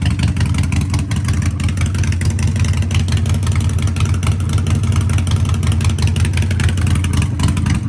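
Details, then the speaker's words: Harley-Davidson Sportster 1200 with Vance & Hines exhaust and K&N air filter, after ECU reprogram for a fueling and poor-running problem, no error codes: loud, lumpy V-twin beat, deep steady exhaust, small throttle blips; runs evenly, no misfire or stumble. "Let's fire it up. I warn you, if you've not heard it before, it is noisy."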